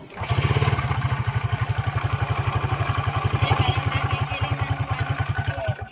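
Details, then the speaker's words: Honda Wave 125 motorcycle, very noisy engine at idle: heavy rough pulse with a harsh grinding clatter inside, like a grinder, from a damaged connecting rod found on teardown. "dito pakinggan mo yung makina so ayan para siyang ano may gilingan sa loob"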